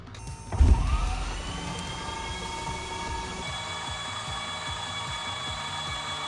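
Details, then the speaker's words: Piper Saratoga aircraft, newly overhauled engine, first crank in years with spark plugs out to build oil pressure: starter whine then even soft chuffs about three per second, no catches or scrapes; oil pressure rose to 36, normal healthy cranking. "So, we get the plugs out. I'm going to spin this thing over and make sure it gets some oil pressure."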